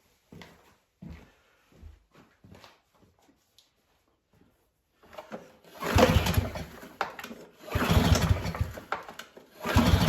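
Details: Auction Yardworks mower stored for years in a farmer's barn, old oil, self-choking wind-vane throttle, first pulls before any starting fluid: a few recoil pulls with dull chuffing, never catches; cranks but won't start, cause not confirmed.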